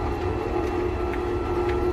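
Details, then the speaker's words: Electric tricycle camper after climbing the Qinling mountains: steady motor hum with a faint rubbing scrape about twice a second, new noise, like something grinding; commenters and owner suspect a failed bearing, unconfirmed. "我以前从来没有过这种声音，就感觉哪里磨到了一样，磨的。"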